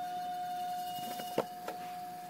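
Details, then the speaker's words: Fan on low powered by a 1100 watt Power Bright modified sine wave inverter, drawing about 32 watts versus 27 on pure sine: loud high buzzing whine with light clicks; motor humming on modified sine wave power. "all right here is the modified sine wave demonstration and uh when you start it up on low you're going to hear like God awful sound"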